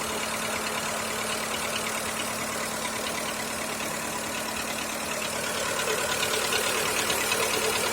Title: Стук двигателя 1.4 Skoda Fabia 2., Ч.1